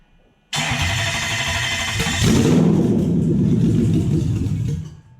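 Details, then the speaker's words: Toyota Hilux/Vigo KUN26 with a 1UZ VVTi V8 swap and new wiring, first start before the airflow meter was fitted: it cranks and catches with a loud uneven roar, runs rough and unsteady, then cuts out. "pretty happy with that so it does make some noise"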